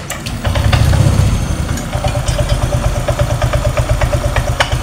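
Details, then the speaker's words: Honda Vario 125 scooter starting and idling: sharp, very shrill squeal from the CVT, loudest as the crankshaft first turns at start and again at shutdown. The bike suffered a botched CVT job with a wrongly fitted ring. "ketika mati ini suaranya lebih keras awal pertama kali dinyalakan awal pertama kali muutar poros engkol Suaranya sangat nyaring dan ketika dia mati suaranya nyaring juga Pak"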